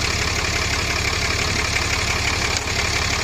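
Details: 2014 Ram Cummins diesel after aftermarket VGT turbo actuator replacement, warming up with coolant just below add line: even, steady idle clatter with smooth low rumble, no misses or knocks; healthy.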